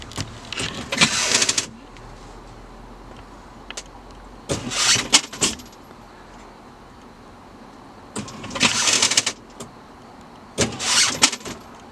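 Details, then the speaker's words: Fright Props linear actuator in a pop-up vampire Halloween prop, bursts of high scratchy squeaking each stroke from the actuator rubbing against the foam bottom; mechanism to be changed. "So, as you can you can hear that squeaking noise is coming from the linear actuator rubbing against the foam bottom."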